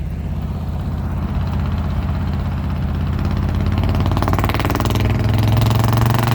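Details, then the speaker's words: 1971 Chevrolet C10 pickup, 307 V8 with 4-speed, worn work truck, pulling away while driving: deep, uneven exhaust rumble with a lumpy, irregular beat; rough-running exhaust note, misfire suspected, not confirmed. "oh and here capture some of the awful exhaust"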